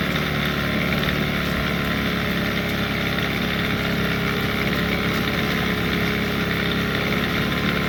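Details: 15hp Evinrude outboard in water tank after carburetor float adjusted, previously dying when fuel ran out; running a few minutes, steady even drone without sagging or cutting out, no longer dying; normal running.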